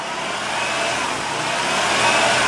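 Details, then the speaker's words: 2004 Honda Pilot after an engine swap, about 300,000 miles, warming up to open the thermostat: smooth, even rev climbing steadily in pitch with no knocks or misses; the engine sounds healthy. "but I'm pretty happy with that I'll tell you that thing sounds good for 300,000"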